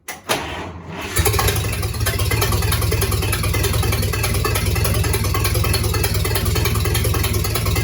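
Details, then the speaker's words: Rebuilt 1953 Dodge 228 ci flathead bored to 237 ci at first start-up: catches after a few turns and settles into an even low idle, about 43 psi oil pressure, no ticking or knocking. Normal idle. "We're sitting at about 43 pounds pressure, and there's not a noise. There's nothing ticking, no knocking, nothing at all."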